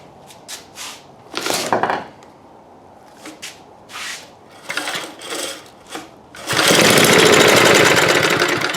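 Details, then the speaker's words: Old eBay-bought generator after fixing a plug wire arcing to a screw, with gas poured in: several rope pulls, then it catches and roars roughly for a couple of seconds before dying. It fires briefly then dies. "Hey, that ran. I think. Yeah, let me put some more gas in it and see if it does it again."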